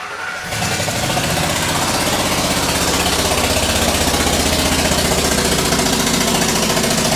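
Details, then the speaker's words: Ford Triton truck with aluminum heads, spark plug blown out of stripped threads: engine catches into a loud, sharp, rapid popping chuff about four a second over idle; fix is a 14x1.25 mm thread insert with new plug. "so that is the noise you will hear if your spark plug blows out if you're going down the freeway there way loud it's the first time it ever happens to you it scares the crap out of you"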